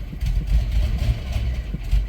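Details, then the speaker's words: 1993 Plymouth Grand Voyager SE, first running after 18 years parked, smells very rich: uneven rumble stumbling and surging with throttle blips; misfire, not firing on all cylinders. "can we work it out of it smells Rich smells very very rich like we're not firing on cylinders"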